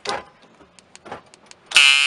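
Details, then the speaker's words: 2010-on Dodge Caravan door lock actuator, triggered by remote: a few soft clicks then harsh high-pitched buzzing grind of about a third of a second; owner suspects actuator motor stuck inside, not confirmed. "You can actually hear it inside of there grinding. I will try to fabricate a. I have a feeling that the motor in there might be stuck somehow,"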